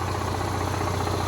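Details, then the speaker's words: Onan Marquis 5500 generator, about 450 hours, in a Class A motorhome, after fixing oil smoking at a metal button, air cleaner off: steady, smooth drone running both rooftop ACs under full load, no smoke; normal running. "All back together, running. I got both rooftop ACs running right now."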